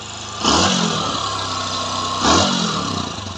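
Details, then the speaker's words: Bajaj Discover 150 single-cylinder after engine service: steady, even idle set deliberately a bit high for a 50-60 km ride, two clean throttle blips settling back smoothly; runs healthy. "গাড়ির যেহেতু engine service করা হয়েছে গাড়িওয়ালা চলে যাবে এখান থেকে প্রায় 50-60 kilo দূরে, এই জন্য আমরা একটু আরপিএম বাড়াই দিছি।"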